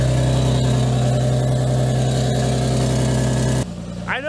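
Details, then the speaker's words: Lexus IS300 just after header install, OEM gasket partly ripped, engine idling: steady idle with faint quick puff about four a second before shutoff; small exhaust leak at the header. "a small exhaust leak down there now the way to test it out you can get like soap and water and just squirt it on there"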